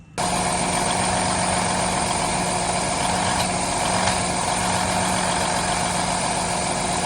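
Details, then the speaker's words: Truck with DD15 diesel engine, also having excessive regens and fuel draining back to the tank overnight: steady idle with a constant drone and a few sharp odd clicks, a weird knock of unknown origin. "So we've been dealing with a couple of problems on this truck. First of all, it's got a really weird noise."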